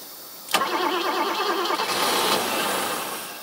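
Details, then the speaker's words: 1980s BMW E24 6-Series CSi, manual, parked since 2001, fuel pressure 2.5 bar. Sharp catch under cranking, a few seconds of ragged running, then it dies. Engine stops as soon as cranking stops; cause not yet known. "oh my gosh okay yeah so it's immediately starting and stopping something not right"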